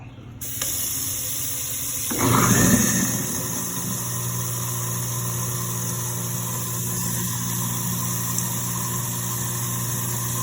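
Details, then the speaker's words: Garbage disposal that would not turn on, after its reset breaker underneath the unit is clicked back in: a click, a rush of water, then a steady, even motor hum with no grinding or rattling. Normal running. "so luckily that was a quick fix for for this garbage disposal"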